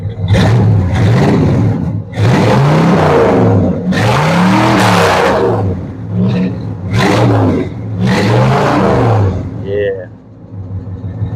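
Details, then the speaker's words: 1966 Ford Galaxie 500 V8, not a cold start, revved: crisp blips rising and falling smoothly with a deep even exhaust note, no misses or knocks; healthy revving V8. "Oh, man. What a sound that is. That sounds good."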